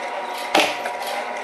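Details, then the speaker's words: Homemade SPP cutting machine, 0.023" stainless MIG wire, 24 V probe triggers solid-state relay and solenoid guillotine, run slowly at speed ~4 with PWM buzz: light steady whirr, one sharp clean cutter clack; sewing-machine-like, normal operation. "i get a little buzz from the impulse pulse width modulation and let's start removing it sounds like a sewing machine"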